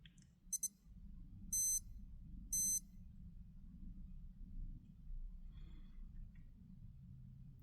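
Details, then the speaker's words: Citizen Promaster AL0004-03W dive watch sound monitor (B button): two quick high chirps, the short double depth alarm, then two longer high beeps, the long double surfacing alarm signal. "So what should be happening is the depth alarm initially sounds twice uh with a short double signal and then the surfacing alarm signal follows with a long double signal."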